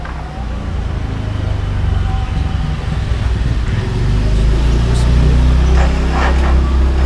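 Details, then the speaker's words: Yamaha R15 that would not start on the starter, tested after connecting battery/jumper leads plus to plus and minus to minus: engine catches and settles into a steady low, even rumble that builds slightly; starts and runs fine. "Sini ya, coba tes, kita hidupkan."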